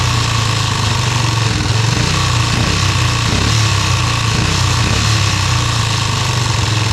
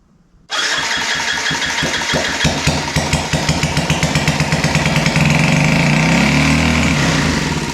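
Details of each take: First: Yamaha restoration engine idling with brand-new carburetor just installed: loud steady idle with uneven, lumpy beat that never settles; carburetor idle needs adjusting. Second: Yamaha restoration engine, first start after checking compression (about 160–165), no muffler fitted: catches at once into a loud, rapid, fairly even unsilenced beat, then shut off; running normally.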